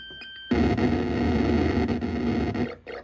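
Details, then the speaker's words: Sinistar arcade game after sound board repair. The player-death explosion starts with a loud burst, then collapses into flat hissing static for about two seconds. Owner suspects a bad chip still on the board; distorted explosion sound. "because when I get shot to the explosion doesn't sound completely right it's like it explodes at first and then it like Statics out gets staticky"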